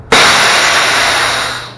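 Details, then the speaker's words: Truck combination air brake chamber with the push-pull valve pulled out to apply the parking brake: a sudden sharp hiss of escaping air that holds, then tapers off over about 1.5 seconds. The chamber exhausts normally. "i pull out on my push pull valve releasing the air from the brake chamber"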